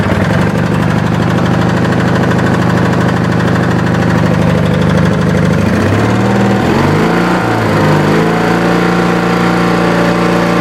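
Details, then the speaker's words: Wheel Horse tractor with a twin-cylinder Briggs & Stratton, after a dead-cylinder repair (runs a bit fast, about 4100 rpm at top notch): fires right up and runs steady and even on both cylinders; normal running. "we got the it running on both cylinders now this big giant briggs and stratton so uh you know let me fire it up and say that way you guys can hear it gotta turn key it fires right up"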